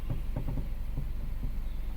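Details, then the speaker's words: Hyundai i20 petrol, engine running with AC on, steering turned: dull irregular knocks in quick succession then fading over low engine hum; knock source not yet found, suspension check suspected. "Cut cut की आवाज आ रही है।"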